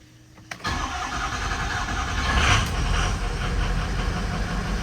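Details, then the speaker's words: 2005 Ford F350 6.0 diesel after oil cooler replacement, coolant flush, fuel filter change and fuel priming, with the cooler well prefilled with oil: short crank, then it catches into a steady, even idle with no stumble. Normal start. "now I'm going to go to try to crank it and it ought to crank pretty easy and that's why you fill that uh well up with oil before you put the O killer in"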